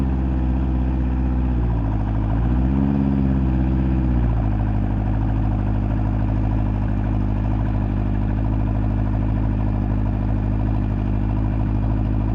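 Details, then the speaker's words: Fuel-injected 1983 Honda CB1100F prototype, first start after 17+ years in storage. The four-cylinder settles into a smooth, even idle, takes a clean quick rev blip and drops back steadily. Normal running and revving. "17 plus years in storage and give this thing a shot all right it's here fire it up"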